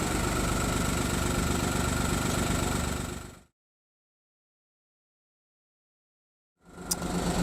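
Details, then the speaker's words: Audi A2 three-cylinder diesel, started after sitting a week, fresh cam belt and new auxiliary belt. Steady even diesel clatter at idle, about four beats a second, noticeably loud but smooth; cause of the loudness unknown. "let's turn this thing off because she's quite noisy"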